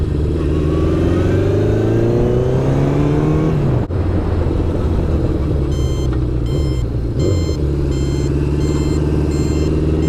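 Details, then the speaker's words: 1972 Honda CB750 after carb and ignition repairs: engine revving under way, then regular high chirp pulsing on and off above the motor; turn signal buzzer works normally. "Oh yeah, the chirper works."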